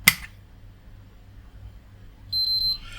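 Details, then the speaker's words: PS5 at power on: a click then three short high beeps, fan does not spin, no front lights, no boot or picture. "three bleeps it doesn't spin there's no lights on the front nothing lights up"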